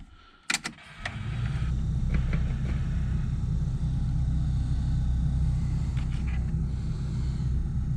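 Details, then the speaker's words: Toyota MK3 Supra 7M-GTE 3.0 turbo straight-six: metal head gasket, ARP studs, 550cc injectors, Garrett GT35, run at 1 bar boost, roughly 350–400 hp. Brief crank, then a deep, even rumble at idle with no misses or knocks. "I don't know if you can hear it but it's a really deep Rumble that this car makes the sound that it makes it's a it's a really deep voice really deep tone"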